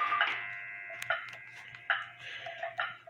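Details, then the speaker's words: Hamilton Westminster-chime grandfather clock after adjustment and hour-hand fix: bright tick and tock about a second apart, evenly spaced with no limp, in a quiet room; clock is in beat. "now you can hear that it's got an even Tick Tock"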